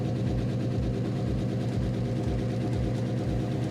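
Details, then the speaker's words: Rambler station wagon V8, about 500 hp, first start after long sit with fuel pump wired to battery: steady low idle with faint rhythmic lifter tick at 50 psi oil pressure, tick went away once warmed and oil pressure built. "50 pounds of oil pressure luckily has a lifter tick oh all right I'll let it warm up"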